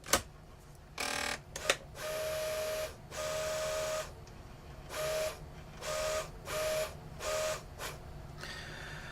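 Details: QIC tape drive with its original 30-year-old factory punched tension band, used for comparison: short whirring runs of about a second each with a steady faint whine, starting and stopping cleanly; sounds healthy.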